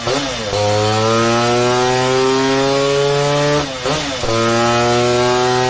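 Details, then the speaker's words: Vintage two-stroke race engine, recently set up on the dyno after not being run for 8 years: crisp, clean note climbing steadily under load and picking up evenly; healthy and producing good power. "But it sounded pretty nice, and it's producing good power for what is a very vintage setup by race standards."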